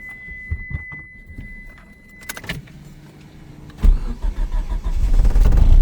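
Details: 1991 Eagle Talon TSi that sat over a year, after a new timing belt, water pump, alternator and clutch fork, and a no-start the day before: a few quiet clicks, a short crank, then it catches cleanly into a steady, even idle.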